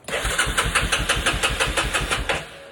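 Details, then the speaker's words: Yamaha Kodiak ATV that ran out of gas: starter cranks steadily about six beats a second with no firing; owner suspects debris sucked into carburetor clogging a jet. "So, most likely the reason why it won't start now My best guess is that the carburetor."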